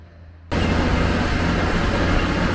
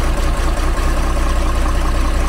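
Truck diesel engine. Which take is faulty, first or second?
first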